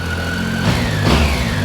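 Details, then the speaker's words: Triumph Tiger 800XC, 21,569 miles, hot restart after new OEM starter fixed starting issue: steady idle, two clean throttle blips dropping straight back to smooth idle; normal throttle response. "Great throttle response. Everything."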